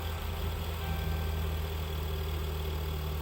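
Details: 2011-2020 Dodge Durango 3.6L Pentastar idling during an exhaust back pressure test with the gauge hose routed on the passenger side: smooth, even low hum with no misses, ticks or hiss; pressure bounces but stays in the green, no restriction.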